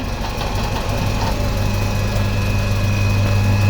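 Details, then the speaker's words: Fiat 500 that had been stalling: low, lumpy idle with an uneven beat about three times a second, now ticking over on its own but not running right. Rough idle, cause unknown. "Don't know what is wrong with it, but it's just not running right."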